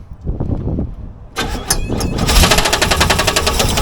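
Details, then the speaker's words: Engine started after retightening loose bolts: fast, sharp knocking over the engine in time with rotation; bottom-end knock. "Yeah, that's bottom end for sure."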